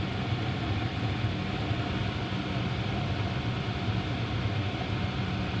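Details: Home gas furnace after draft inducer replacement: even low rumble and steady airflow hiss as the igniter lights and burners fire, no rattles or squeals; much quieter than before the repair, running normally.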